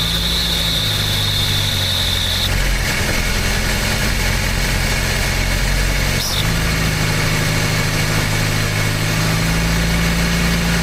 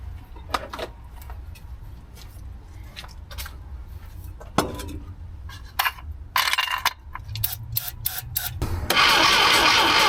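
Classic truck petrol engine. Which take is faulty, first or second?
second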